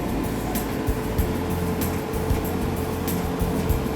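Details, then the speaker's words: Whirlpool dryer after repair; steady low drum rumble with soft even tumble, no banging; the loud banging was fixed with grease. "now I'm going to plug it in see what happens it's working no more banging noise"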